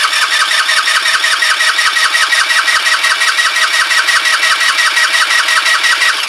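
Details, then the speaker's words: Kymco Agility 125 scooter, first start attempt after rebuild: starter churns steadily at nearly three beats a second for several seconds and never catches; carb likely empty, owner suspects fuel supply, possibly vacuum-related fuel feed, unconfirmed. "obviously um carb's going to be empty so it's going to need some pull some fuel right it's fuel related obviously"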